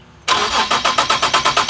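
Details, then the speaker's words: Boosted Nissan 370Z Nismo cold start after four or five days, after exhaust leaks were found and fixed: brief crank, clean catch, even steady idle with no rasp or exhaust puffing; normal cold start and idle. "and this is exactly how she's supposed to sound no rash no nothing and this is a four or five day cold start"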